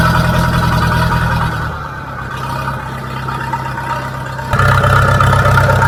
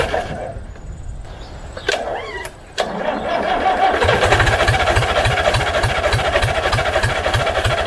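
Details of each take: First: International B414 four-cylinder diesel tractor, sat unused by a pond 20 years, started with ether, still on old sludgy oil: settles into an even steady beat, dips briefly and picks back up cleanly, no misses or knocks; normal running. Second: International B414 four-cylinder diesel tractor that sat by a pond for 20 years, first start with glow plugs and ether: it catches into a fast, even diesel chatter of roughly 200 beats a minute, then settles, running and smoking.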